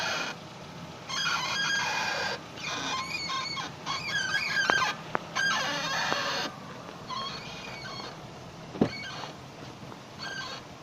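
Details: Datsun on-DO car: irregular high-pitched squeaks and creaks in short bursts as the suspension works, from the suspension ball joint.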